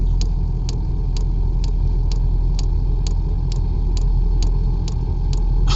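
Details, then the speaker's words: 12V 5kW diesel air heater mounted in truck bed, first fire-up with truck engine running to charge the battery: even pump clicking about twice a second over engine rumble, torch sound then lit, no smoke; heater running normally. "yeah sounds like a lit so the first fire up no smoke which is really good"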